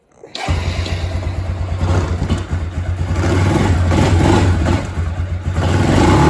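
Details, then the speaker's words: Kawasaki Bayou 250 ATV single-cylinder engine after carburetor replacement, still on old dirty fuel, oil unchanged: settles into a steady, slightly uneven thump while warming up cold on choke; normal cold-start running. "so fire's right up sounds good idle's awesome um choke it we'll get her warmed up here"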